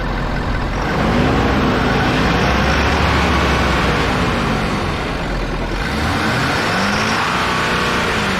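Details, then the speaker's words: Ford F350 6.7L Powerstroke diesel after draining gasoline mistakenly put in the tank and priming the fuel system: stumbled when first started, then settled to an even idle and clean revs with no warnings. Normal idle and revving. "i don't have really anything in the throttle of course these things are so limited now you can't just spool them up anymore but seems like it's normal"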